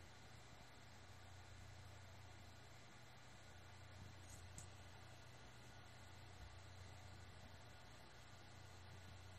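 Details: Seagate BarraCuda 8TB ST8000DM004 HDD (10,325 hours, 2,118 reallocated sectors) that had made abnormal noise now runs quietly with a soft hum and faint hiss after the SATA adapter board was swapped for another maker's.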